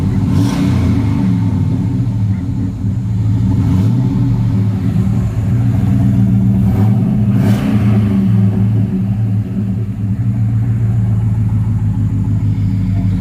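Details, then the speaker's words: 2007 Cadillac Escalade EXT V8, parked 2 years with a transmission that stopped shifting: deep, even rumble rising and falling with throttle blips, no knocks or ticks; engine runs healthy after storage. "I think she sounds pretty good."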